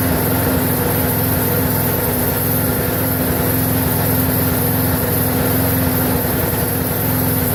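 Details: Briggs & Stratton 4.75hp mower engine, possibly Craftsman, previously wouldn't run and reportedly died 10 minutes after earlier fix, now run-tested for possibly over a minute; steady even beat, no surging or misfire; normal running.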